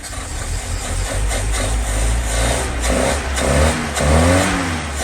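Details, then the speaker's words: 1963 Humber Sceptre that stood 7 years, started after fitting a battery and doing the plugs: engine catches and runs smoothly through a few throttle blips, no misses or knocks. "Look at that. Absolute purrer."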